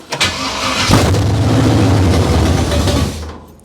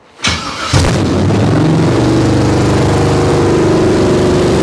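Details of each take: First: Abandoned 1968 Camaro small-block Chevy V8 with used parts, timing not yet set: brief crank, then catches and runs evenly about two seconds before shutting off cleanly with the key; starts and stops normally. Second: Abandoned 1968 Camaro small-block Chevy V8, first start, with fuel pump drawing: catches, high slightly uneven fast idle about twelve seconds, then dies, smoking; unknown vacuum leak suspected, carburetor tightness uncertain.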